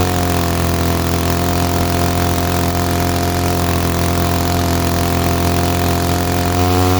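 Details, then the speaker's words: Mall two-stroke 6 ft chainsaw from 1947, first start in about 40 years: even, steady two-stroke drone that holds its pitch and shifts slightly near the end; running and idling smoothly. "so we got a running machine at idles now too so that's cool"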